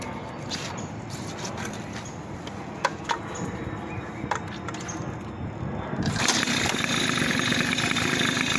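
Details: 2002 Tomos Sprint two-stroke moped with new Parmakit CDI and parts installed, jet size not yet correct. A few clicks and taps, then it catches near six seconds and holds a buzzy, steady idle; normal start.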